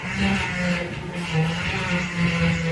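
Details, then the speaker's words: Renault Sandero: wavering hum with a thin whine that swells and fades as the wheel is turned; power steering pump low on fluid from a leak at the steering rack. Power steering pump whine from low fluid. "Na realidade, o barulho é falta de óleo na direção hidráulica, né? Na bomba da direção hidráulica."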